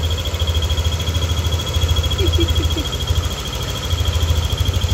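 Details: Yamaha NMAX V2 scooter at idle, engine fully warmed to normal temperature: a thin, steady high whistle or squeal over a quick, even idle that appears only when hot; source not yet pinned down.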